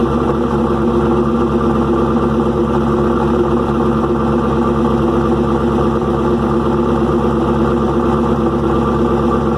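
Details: Restart of freshly rebuilt engine "Promise" at idle: busy, even ticking clatter over a loud exhaust. Valve train is far noisier than the new lifter package should make. Owner suspects unmeasured, too-long pushrods and is ordering new ones.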